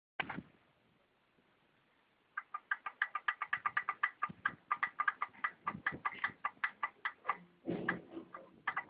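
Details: Honda Dio scooter at idle; sharp metallic knocks about five a second, very regular, over a faint engine beneath, connecting rod knocking.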